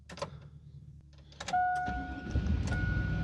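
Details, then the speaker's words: Chevy Avalanche GMT800 truck after bad PCM replaced with a new one and VATS relearn, started after the third security-light wait: a few clicks and a steady chime, then the engine catches and settles into an even run. Normal start. "and there it is it is running now"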